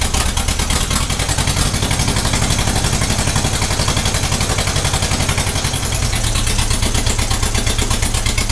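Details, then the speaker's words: 1956 Ferguson TVO 20 four-cylinder tractor, running after 8 years idle: lumpy uneven idle with a skipping beat, one cylinder misfiring, suspected number one; leads, distributor, plug and carburettor were already worked on. "she is only running on three cylinders it's a four cylinder tractor and you can hear that that's it missing on one cylinder"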